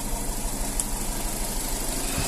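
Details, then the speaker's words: 2019 Nissan Terrano idling with uneven stumbling thump, shaking and uneven exhaust, DTC cylinder 3 misfire. "двигатель троит слышно что потряхивает его неравномерная работа на холостом ходу с выхлопной тоже слышно неравномерную работу есть она неровная работа"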